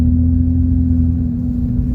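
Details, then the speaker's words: High-mileage BMW 335i heard from inside the cabin just after work: deep, loud droning exhaust rumble with a steady low hum, far louder than stock, because the catalytic converters were cut out. "I'm in the Beamer as you guys can hear I don't know if if it comes out on video but the car has no cats"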